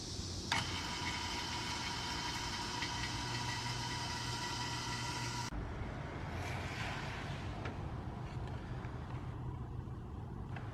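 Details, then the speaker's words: Steady high-pitched belt-drive squeal over the idling engine, louder on acceleration, persisting despite new alternator, belt, power steering pulley and tensioner; owner suspects bearings, pulley misalignment or something loose, source not pinned down. "I have a brand new uh power steering pulley. I have a brand new belt. I have a brand new alternator. have a brand new tensioner and I'm still hearing this noise."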